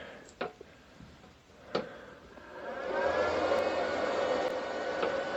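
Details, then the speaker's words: Off-grid solar system, MUST charge controllers, 16 Trina 400 W panels, LifePO4 batteries, bringing voltage in at first startup: couple of sharp clicks then an even soft hum, no sizzling or buzz; normal charge controller startup. "Alright, so now I can bring the voltage into my controllers. Alright, there we go. Nothing sounds bad. That's a very good sign."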